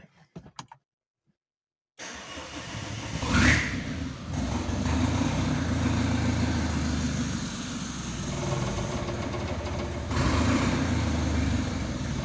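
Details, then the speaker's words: Rebuilt Renault 1.9 diesel first start after rebuild, no coolant and no exhaust or catalytic converter fitted: brief crank, then catches and settles into a very even, quiet idle with no knocks or misses; normal. "ale jak widzicie idzie bardzo bardzo równiutko bardzo cicho wydechu nie ma jeszcze nie bo katalizator leży gdzieś tam na bok"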